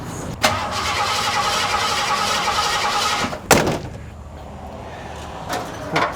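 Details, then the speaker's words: 1986 Ford F-150: starter spins about three seconds, engine never catches; fuel confirmed present, spark tester shows no spark, ignition module PIP wire checked next; crank no start, no spark. "so we definitely don't have any spark got plenty of fuel I've already checked that"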